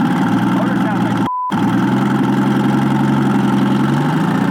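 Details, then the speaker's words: Nissan GT-R idling to check whether oil in the exhaust clears, with oil coming out of the turbo: uneven, lumpy idle with a stumbling exhaust beat from a dead-cylinder misfire. Owner says it's not running right; a compression test is planned. "it's not running right i feel like it might be"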